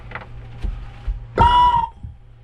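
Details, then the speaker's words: Newly installed RV water pump, briefly bumped with power to test it before plumbing: half-second hollow whine near one pitch as the pump spins with no water in it, running dry. "You hear it came on, but it's dry. I really don't like to do that because you are starting up a water pump dry, and that is not good."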